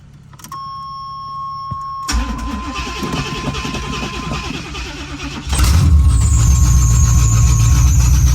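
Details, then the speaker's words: 1986 Chevrolet Camaro Berlinetta with open headers, left sitting, hard to start. After a chime and several seconds of steady cranking it finally fires on the last cranks and jumps to a loud, rough open-exhaust idle. "it almost didn't start again after waiting a little bit longer but on that last couple cranks it finally uh finally lit off off"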